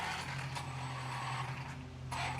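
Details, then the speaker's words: Traxxas Rustler 4x4 RC truck running with a new transmission and the cover off: a low gearbox whir with short rasping bursts; a grub screw rubbing the spur gear is suspected, and the slipper clutch is possibly loose; abnormal drivetrain noise. "It's running all right, but it is making a funny noise, I think. See if you can hear that. It might be where that grub screw is rubbing against the spur gear, but it shouldn't be doing that."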